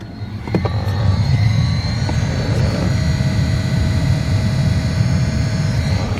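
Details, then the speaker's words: 2005–2014 Mustang GT HVAC blower motor before replacement: a steady loud whirring roar with a faint whine, annoying while driving; the noisy, likely failing blower motor is being replaced. "i hope you guys can hear that but that does get really annoying when you're driving"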